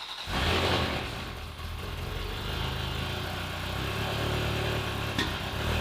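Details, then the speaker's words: Ferrari 360 Spider V8 after fuel system flushing: uneven lumpy idle and hesitant rev with barely responsive throttle; left bank not running at all, appearing to dump unburnt fuel with very strong fumes. "Yeah, the left one just doesn't work at all. The left one just isn't running at all."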